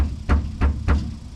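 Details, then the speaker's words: 1955 Chevy front end, linkage rocked by hand: three dull, hollow clunks about a third of a second apart; play from a worn idler arm rubber bushing, moderately worn but not terrible. "so that that bushing is pretty pretty worn it's not terrible it's not terrible at all"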